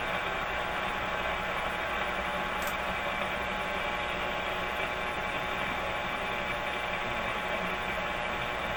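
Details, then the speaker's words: 1925 Magnavox Type D TRF radio tuned to about 590, antenna connected: a steady hiss with a faint hum and no program coming through; the station is buried in noise, weak reception. "This is the station I'm trying to pick up. Let's hear what comes out of this. There's a lot of noise."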